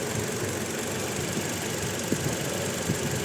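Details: Toyota Innova petrol engine at uneven idle with stumbles and thuds: it misfires with no check-engine light or DTC. After swapping coils between cylinders the fault follows the coil, not the spark plug, confirming a faulty ignition coil.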